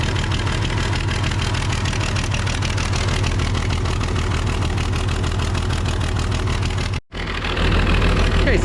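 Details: Case 855D loader, 12-valve 5.9L Cummins diesel at idle after the bad injector was fixed: steady, even chug and deep rumble with no knocks or misses; normal idle.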